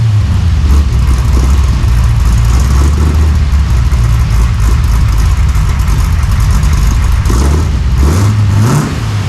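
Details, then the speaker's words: 1968 Chevy Nova SS V8 with new Flowmonster 409 stainless straight-through mufflers replacing the leaking chambered exhaust, no tailpipes yet: deep, even thumping idle rising cleanly on a throttle blip, no ticking or puffing leaks; healthy exhaust. "Well, let me know what y'all think, but I think that sounds so much better. The old exhaust was leaking a lot."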